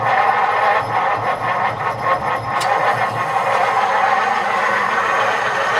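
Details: 1949 Meteor survivor, 37,000 miles, in neutral: catches and settles into a steady even idle with no knocks or misses; runs differently from when bought.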